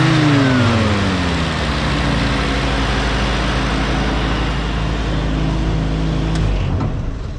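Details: M151A2 military Jeep in neutral after new spark plugs and thermostat housing: revs then falls back to steady even idle with no misses, knocks or rattles; runs smoothly, much better than before.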